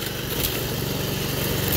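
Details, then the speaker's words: Toro 53 SP commercial self-propelled mower after refitting a drive belt that had slipped off the clutch; all gears work; steady, even single-cylinder beat, no misses, knocks or belt squeal. Normal running. "the gears work everything is working good on it always has"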